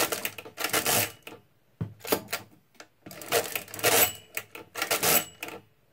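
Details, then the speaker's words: Repaired Marchant XL pinwheel mechanical calculator during division: rapid clattering bursts of gear and pin noise with extra turns as the crank overshoots. The stop detent is so light that it overshoots and the operator must add twice. "sometimes they overshoot because the detent on this is so light it's pretty easy to overshoot then you have to add twice"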